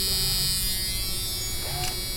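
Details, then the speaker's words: 1988 Jeep Cherokee XJ, hood up: the front windshield washer pump gives a steady high electric buzz with no stutter and works normally, while the rear hatch washer pump stays silent. "can hear it and you can see they do work"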